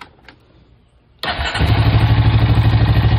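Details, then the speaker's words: Honda Rancher 350 ATV after turning down the carburetor idle screw from a too-high setting: quiet, then the engine catches and settles into a steady, even low idle with no misses or knocks; normal idle. "it's running perfect"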